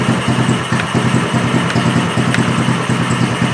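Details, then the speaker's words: Small gas engine running on Seafoam fuel additive alone: uneven, lumpy putt-putt about two beats a second, faltering as if about to die; engine stumbling. "that sounded good sounds like it's dying out"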